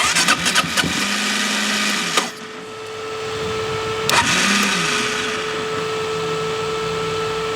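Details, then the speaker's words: Rare Gas Gas Wild HP 450 quad, long unrun, cranking after it briefly started: a few rough firing bursts, then a steady free-spinning starter whir. Owner suspects it may not be getting gas and says it definitely needs a starter clutch. "It definitely needs a starter clutch."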